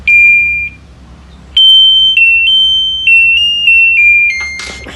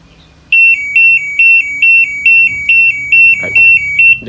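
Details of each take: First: LG washing machine control board (PCB) on the test bench: clean rising-and-falling power-on chime after the error code cleared; the board powers up normally, ready to run, before motor lines are checked with a test lamp. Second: LG washing machine control board (PCB) on the test bench: eleven even high-pitched beeps, about two per second, as an error code appears while the water-level sensor hose is pressurised by mouth.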